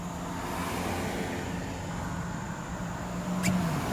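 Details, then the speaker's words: 2006 Dodge Ram 1500 Mega Cab test drive after replacing three universal joints and all 16 spark plugs: steady road and engine rumble pulling away, no u-joint squeak, clunk or vibration. "okay guys test-drive is working out awesome you definitely cannot hear the squeaking of the u-joint when you kick off"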